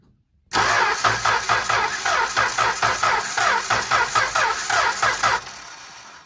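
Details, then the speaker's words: Six-cylinder engine cranking: starter chugs at an uneven beat, one compression stroke missing each turn; five good cylinders and one with no compression. "okay so clearly different sound and we now have five good cylinders and one completely no compression cylinder you don't need a compression gauge to tell you that"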